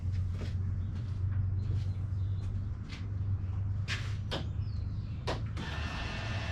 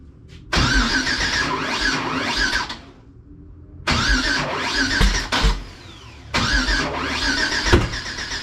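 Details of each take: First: We're outside. I've had Klaus probably idling for 15-20 minutes. Oil pressure's still good. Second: Engine after head work and new injectors with a new tune, ignition harness odd/even swap corrected: starter cranks evenly in three bursts but the engine never fires, though it runs on starting fluid; crank no start.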